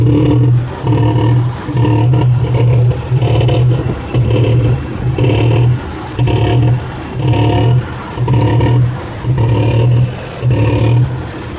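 Engine revving in rough surges about once a second with some clatter up top; a knock is there but its cause is unclear.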